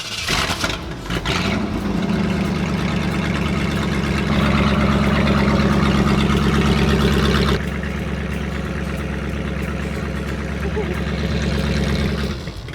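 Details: 1968 Ford F100 Ranger with a 390 big block, sat in a field for years with a water-filled tank and possibly old gas still in it: the V8 catches and settles to a fairly even idle, slightly uneven with a pitch drop; running a bit rough.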